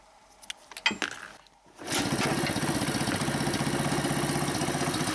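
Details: Tula moped with a pit-bike engine after carburetor cleaning (water drops found) and replacement of a cracked printed carburetor spacer suspected of leaking air: a few kicks, then the small single settles into a steady, even putter with no knock or misfire; runs fine.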